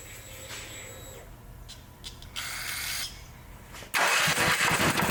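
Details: Brand-new Champion EFI generator that customer reported wouldn't start; fuel smells of diesel or kerosene, suspected poured in then drained. Quiet rattles, then engine catches abruptly and settles into a steady, fast, even hum; starts and runs properly.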